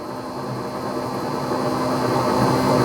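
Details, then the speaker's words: Off-grid generator powering a battery charger on 20 amp setting, batteries stuck around 12.2–12.5 V for hours: steady unstrained drone barely rising, sounding at idle; owner suspects failing battery charger not drawing current. "I don't know. It sounds to me like that generator was at idle."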